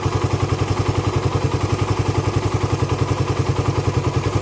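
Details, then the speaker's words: Raider 150 carb motorcycle, hot idle after long ride: steady metallic clatter from the top end, three or four taps a second over a low thump; silent when cold, appears only when hot; tensioner suggested, unconfirmed. "Ayan guys yung yung kalansing na naririnig sa may loob ng makina pero kapagka malamig siya wala naman siyang ganon"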